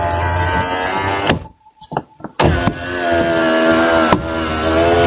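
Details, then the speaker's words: Toyota Fortuner door power window, before regulator repair and lubrication. The motor whirs, pauses, then runs again and ends in a sharp bang near the top as the glass snaps up and the door bulges outward: regulator banging at top of travel. "Okay, we have to get rid of that noise. It's supposed to be noise free all the way to the very top, but it's going bang over here."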